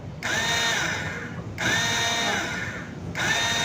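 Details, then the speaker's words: Hero Splendor Pro self-starter motor, noisy when cranking, reassembled with carbon brushes; three short bursts of smooth, even whirring with no grinding or clatter, the motor assembly is OK. "अभी यह motor में कोई आवाज़ नहीं ए रहा है यानी यह असेंबली ओके है"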